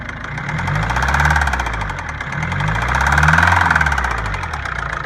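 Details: 2009 Ford Focus 1.6 diesel at idle: a rhythmic engine knock about three to four times a second swells as the revs rise.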